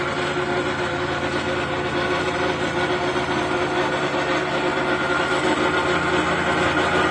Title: I have a x mark zero turn lawnmower it makes a rattle noise under the deck. any ideas, thank you